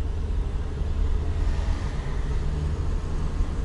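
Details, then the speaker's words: A steady low drone sits under road rumble while cruising around town on rough city streets; the car hums while driving, cause unknown. "Слышите, как машина гудит? Это я вот так еду."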